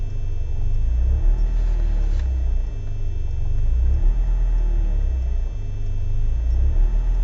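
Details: BMW E36 318is coupe, M42B18 engine: low idle that hunts and dips every few seconds, cold or warm, with constant smoke and higher fuel use; no leaks found, ICV and MAF already cleaned; rough idle, cause unknown.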